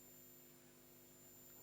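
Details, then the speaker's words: Bush TV22 valve TV being powered up at reduced voltage, CRT heaters lit, EHT rectifier starting to glow: faint steady high-pitched line-stage whistle over low mains hum, line output oscillating normally; speaker crackles. "I can hear the line stage. The line stage is oscillating."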